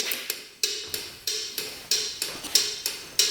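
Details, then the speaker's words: Free non-running scooter, key on after fuses checked good, engine off: crisp, regular ticks about ninety-five a minute in quiet; turn-signal flasher cycling normally, blinkers working. "Oh, blinkers are working. They're even blinking."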